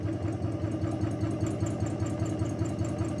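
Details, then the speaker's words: Torsion vibration rig driven at about 5 Hz: steady low drone throbbing in a regular swell about twice a second, hard to hold at the natural frequency. Torsional resonance. "Okay, so we clearly have a resonance there. It's around 5 hertz. It's very hard to hold it at the natural frequency,"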